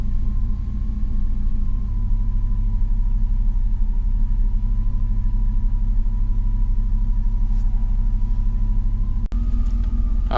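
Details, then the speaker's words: 2000 Chevrolet Silverado after new starter and ECU reset by battery disconnect, foot off throttle: low idle rumble wavering and sagging almost to a stall while idle relearn is incomplete; expected to self-correct. "so I got the idle procedure learned my foots not on the gas she runs good comes back down almost stalls because it still doesn't quite know where it's got to be yet but it'll figure it out"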